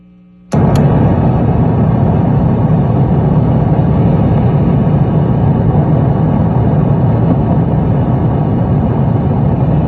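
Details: Bogner Ecstasy Red overdrive pedal on 9V battery into 2024 Fender Hot Rod Deluxe IV amp with Fender American Professional II guitar: two sharp clicks, then loud, steady low rumbling roar even with volume and gain down; internal hardware fault.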